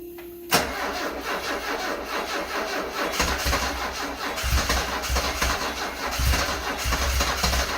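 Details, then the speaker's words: 1974 Alfa Romeo Spider Veloce, 10K original miles, stored 30 years, start attempt after fuel pump priming: starter spins the engine with a steady, even chug but it never catches or speeds up; crank-no-start. "Let me give it another shot. Okay, attempt number 5 or 6. 5th time's the charm."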